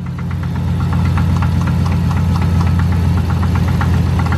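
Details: Dodge Charger SRT8 6.1 idling after restart, engine light on: loud steady knock about four per second over heavy throbbing idle; owner believes motor is done; cause unconfirmed.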